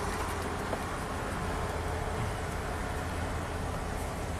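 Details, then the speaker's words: 1992 Ford F-150 5.0 V8 with a used replacement throttle body and a previous TPS code, after the fix: steady, even low idle with the A/C load on and no hunting or surging. "so the idle speed seems to be good"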